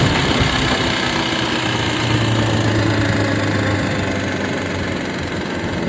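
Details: Honda CBR600RR PC37 motorcycle idling with a strange rough, uneven tapping about four times a second over a low hum; cause unidentified.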